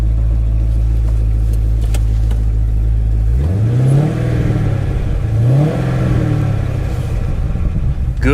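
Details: Salvage-auction Chevrolet Camaro SS: steady, even V8 idle, then clean revving blips that rise and fall smoothly with no knocks or misses; a healthy engine.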